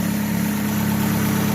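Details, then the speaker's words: 2015 Chevrolet Aveo idling smoothly after timing belt retensioned: steady low hum, no knock; strange noise was a loose timing belt slapping its cover, not lifters or bearings as another shop claimed. "ya no tenemos ese ruido tan extraño que tenía la máquina pues como pueden ver no eran los buzos ni los metales de biela como le decían al cliente"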